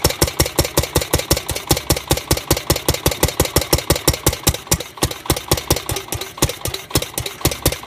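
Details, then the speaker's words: Gravely 430 tractor, Onan NB engine with new crank-trigger ignition, sitting about 25 years with carb still to clean: sharp, evenly spaced firing pops about six a second while running on starting fluid; owner thinks timing may be off a hair. "it was running pretty good the timing sounds like it might be off just a hair but I don't know if that's because I was using starting fluid which is very like aggressive when it burns"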